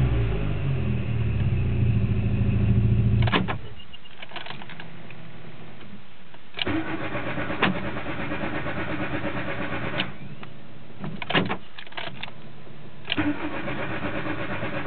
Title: mk2 16v hard start